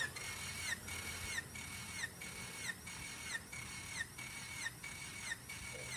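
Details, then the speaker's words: Freshly rebuilt Honda D16ZC, 9.7:1 compression, not yet run: even cranking with regular compression pulse and light whir during compression test; cylinder 2 reads 170 PSI, close to the others, healthy compression. "okay so it's 170 PSI so it's still close it have hasn't even run yet"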